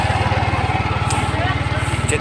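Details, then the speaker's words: Yamaha Aerox version 1 scooter with error 37 (ISC): small single cylinder putters evenly but fast, about fifteen beats a second, not settling; high idle from idle speed control fault, needs ISC calibration. "Pig na namang tumataas ito pag is lang yan taas na delikadong"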